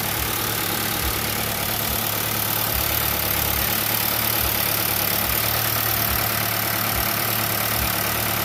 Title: 2021 Nissan Rogue. 55.6k miles. Makes this noise even after it warms up. Dealerships says no problem